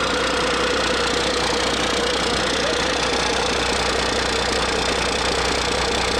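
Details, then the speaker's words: DT408 NGD diesel (P7100 pump, to be rebuilt as DT466) idling after first firing, no knocking: loose, slightly uneven knock-and-patter rhythm; number one cylinder firing weaker than the other five, a lazy cylinder, cause not determined before teardown. "So number one isn't firing as good as the other 5, so we've got kind of a lazy cylinder. It's still firing, but let's just tear the whole thing apart."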